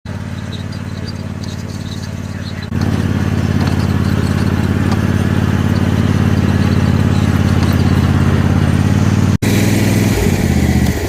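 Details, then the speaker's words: Toro TimeCutter 5060 zero-turn mower: engine jumps to a louder, rough clattering run, with a bad rattle under the deck while mowing, traced to a loose blade bolt. "all right uh I was just mowing with my Toro time cutter 5060 zero turn and something's making a really bad rattle underneath the deck so I'm going to pull the deck off lift it up and see what's going on"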